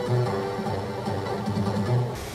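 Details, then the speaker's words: Sinclair ZX Spectrum +3 (128K, Amstrad-built) playing Robocop 2 music over RF to a TV: audio dull and muffled, like inside a biscuit tin or underwater; distorted output the owner expects to improve after swapping the audio-stage resistors (R42, R43 and others). "it sounds like it's in a biscuit tin or something or underwater i think regardless of the tuning on the tv here the fact is coming over rf i think that's gonna be better when i've swapped the resistors out"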